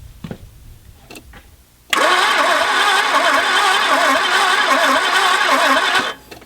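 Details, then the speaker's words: Peugeot 505 GTI donor car, sat 14 years, battery fitted, electric fuel pump working and fuel pressure present after freeing a stuck starter; cranks steadily with even compression pulses but never fires. Owner suspects no spark, unconfirmed. "I'm going to go out on a limb and say I don't think there's any spark"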